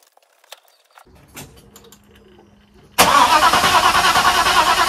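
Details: Restored Mercedes with new radiator, before its first start attempt: starter alone turns the engine to circulate gearbox oil; even chug about three times a second, never fires.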